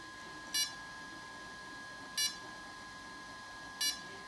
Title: Phantom 4 Pro won't start